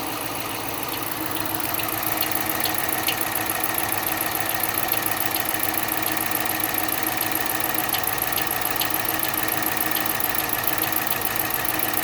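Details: 2013 Dodge Charger, former police car, 140k miles, at idle: a light, rapid, fairly regular ticking knock at about two per second; it had been driven 20 miles earlier with no knock, and the source is undetermined.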